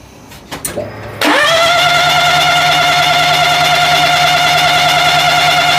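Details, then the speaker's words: 2000 or 2001 Daihatsu Hijet S210P, fuel-injected twin cam, crank no start with spark and fuel confirmed: the starter whirs steadily and fast during a compression test, but cylinder 3 reads only 40-45 psi. Low compression. "Yep, there's a problem, guys. 40 pounds-ish. Yep, 40, 45 pounds. Way not enough."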